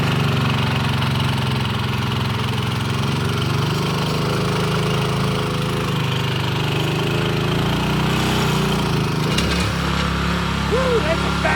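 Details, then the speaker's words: Scotts tiller with the trashed original engine replaced by a DeWalt pressure washer engine, run after the swap: steady, even drone with a strong low rumble and no knocks or misses. Runs smoothly and healthy. "Yeah, she's ready to go. Way too muddy, but man, it's super fast. You can get that garden done in no time."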